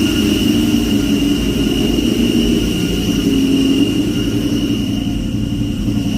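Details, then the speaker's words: 2003 Mustang Cobra running and revving: harsh rough whirring drone with a steady high whine on top; throwout bearing or clutch suspected, new McLeod clutch arrived. "guys that disgusting sound coming from this thing pretty sure it was a throwout bearing clutch related"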